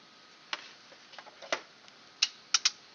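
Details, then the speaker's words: Fire-damaged EB832 power unit, plugged in again after finding no output from the voltage regulator: quiet room, then a few sharp, crisp relay clicks as power is applied; relay is switching normally and the unit seems to work. "and I now hear the click and now I think it's working"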